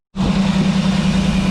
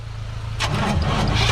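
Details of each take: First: 1988 GMC Sierra 3500 engine running after plugging in the second fuel pump (it earlier ran only on starter fluid): catches and settles into a steady, even low hum with no misses or knocks; runs normally now. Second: Lowered 1988 GMC Sierra 3500 bought with known issues, air filter off; starter cranks steadily at about 3.5 turns per second but never catches; no fuel delivery, suspected missing fuel pump; later runs only on starting fluid.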